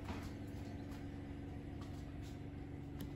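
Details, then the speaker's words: Bosch Serie 4 washing machine, new, recorded three to four metres away during the final spin of the last four to five minutes: very quiet, faint steady low hum with a soft even whir, no knocking or grinding. Normal spin. "yeah it's a very very quiet machine and that only goes into the absolute spinning like this for the last of the four or five minutes"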